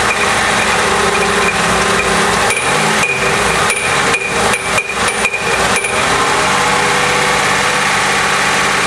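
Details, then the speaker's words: GM 3.8 engine running and revved: irregular metallic clunks about two a second, sounding like something loose inside; noise eases under revving torque, returns on letting off; separated harmonic balancer. "now if you hear that noise it sounds like something's clunking inside the engine and it can kind of sound bad"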